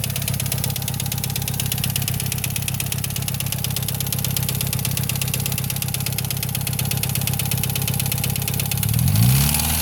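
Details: Mitsubishi Evo IX at idle making a loud, fast, steady tick around three per second, clear over the engine hum, that started suddenly; owner suspects lifters, not confirmed.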